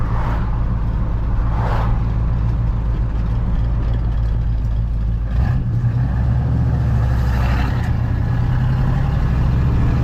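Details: 1981 Chevrolet squarebody truck with new exhaust system, driving through suburbs: deep, loud V8 rumble climbing and falling with throttle, no rattles or leaks heard; a healthy, freshly built exhaust.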